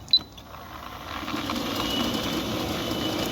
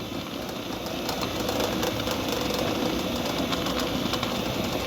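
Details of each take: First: 9-year-old Centurion D5 Evo sliding gate motor with a reported strange noise, running in one direction: a click then a smooth whirr that builds and holds evenly with no knocks or grinding; normal this way. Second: Centurion D5 Evo sliding gate motor, 9 years old, making a strange noise: runs fine one way, but in this direction a steady hum carries faint irregular creaks and ticks before it stops; creaking noise, cause not yet confirmed.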